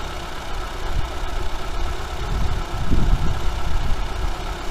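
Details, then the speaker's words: Двигатель после капремонта, гарантийный возврат из-за стука (втулка шатуна), прогревается, ещё не до рабочей температуры: smooth quiet even idle, low hum, no knocking or ticking; runs quietly without extraneous noise. "Сейчас мотор работает тихо, без посторонних звуков."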